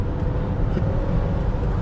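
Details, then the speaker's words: BMW E39 540i driving after a driveshaft replacement; the owner had earlier suspected the centre bearing was loose and heard rattling: smooth, steady low road rumble at speed with no rattle or clunk; the driveline is quiet. "I thought it was the dissenter baron was was loosener this wagon and all over the place yeah sound like it sounded like something's rattling when I take over"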